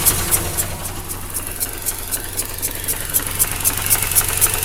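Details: 2004 Mazda RX8, 110,000 km, rotary: rough idle with rhythmic sucking hiss at 240 pulses a minute, one third of idle, from behind upper intake manifold; coils and plugs ruled out, owner suspects blown side seal on one rotor face.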